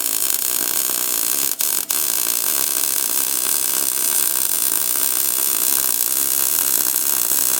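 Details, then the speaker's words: R-Tech MIG181 digital MIG welder on factory settings, 0.8 wire, 5% argon gas, lap weld on 0.8 steel plate: even steady frying hiss with a brief break, a happy welder; welds penetrated fully. "You hear the noise it's making the noise the MIG welder makes when it's happy. You can see all the welds penetrated all the way through."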